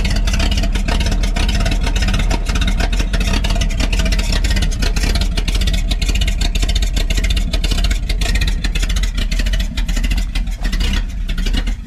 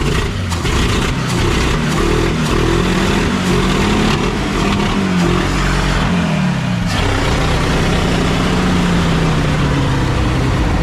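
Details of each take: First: 1952 Packard 327 straight-8 after removing the exhaust down tube and plugging a vacuum leak; loud open-exhaust rumble at a steady fast idle, firing evenly with no misses or knocks, running smoother than before: normal running. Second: 1952 Packard 327 straight-eight with the exhaust downpipe removed, after about 2 lbs of cat food were cleared from the exhaust and a vacuum leak was plugged. Loud, raw open-exhaust rasp swelling with each throttle blip.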